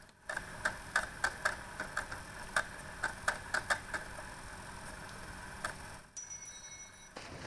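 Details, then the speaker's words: PlayStation 2 loading a game level: steady drive hum with irregular bursts of sharp seek clicks as laser jumps across the disc; normal disc reading. "It's perfect. Such a good sound. The PS2 is alive. You can hear the levels loading in."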